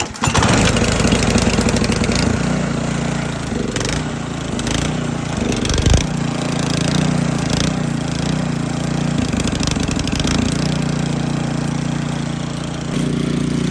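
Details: SnoTek by Ariens snowblower, 28cc single-cylinder engine, after carburetor ultrasonic cleaning, on choke with fresh gas. It catches and settles into a steady, even run with a few throttle dips; running normally.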